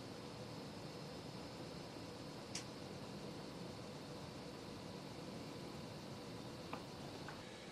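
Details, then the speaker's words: Creality CR6 SE 3D printer after its stock power supply and motherboard fans were replaced with Noctua fans; very low, even airy hum with only the hot end fan audible, about 52 to 42 dB; quiet fan running. "it is totally different it's like totally silent now i can't hear anything apart from the hot end fan"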